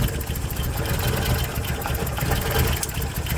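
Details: 1990 Toyota Pickup/Hilux 22RE after engine reassembly, warm; idle lurches and surges irregularly, then dies; owner suspects a temp sensor giving bad readings upsetting the mixture, minor fuel injector leak noted: rough idle.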